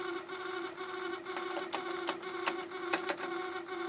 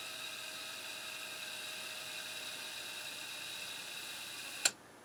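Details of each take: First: Harman Kardon CD 191 cassette deck before repair, heads stuck up, door won't close, eject jammed: constant hum with uneven scraping clicks about twice a second, nothing happening; cassette transport grinding noise. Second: Harman Kardon CD 191 cassette deck with a faulty transport mechanism, after cleaning the idler belt: even, steady high whir from the spinning reels with no dragging or wavering, ending in a clean click stop; rewind is healthy.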